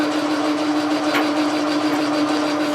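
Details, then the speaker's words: Logan lathe at high speed with power feed, turning a telescope declination shaft: steady mid-pitched hum with fine rattling chatter; leadscrew knocking in its unbushed cast-iron housing with no bearing. "the the leadscrew is chattering a little bit in the housing you know there's no push a there's no bearing in the housing it's just a piece of cast iron with a hole in it that's what's going on there"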